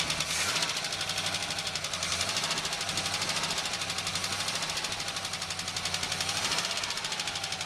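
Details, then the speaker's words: Oldsmobile Cutlass Supreme 260 V8 headed for scrap, fires right up and runs on all eight: fast, loud, sharp ticking over the idle from a rocker arm on one side, typical of these 260s; valvetrain rocker arm tick. "this is mister making a lot of noise typical on these two stitches it's actually the rocker arm"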